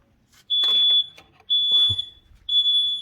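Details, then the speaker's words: Carbon monoxide alarm in a self-built VW Crafter campervan during a battery install, with power turned off. It gives a piercing high beep about once a second; the owner is unsure whether it is a low alarm battery or actual gas, and vents the van. "That's the carbon monoxide alarm going off in the van. So, first things you do, really, vent it. Open your doors, let it vent. I don't know if that's a low battery or if it's actually full of gas."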